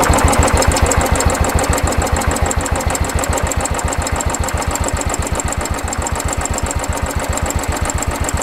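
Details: Motorcycle with 12,500 km at a small service, engine not yet fully warm, just after adjusting the idle screw: even single-cylinder putter at about three and a half beats a second, steady without stumbles, a healthy idle.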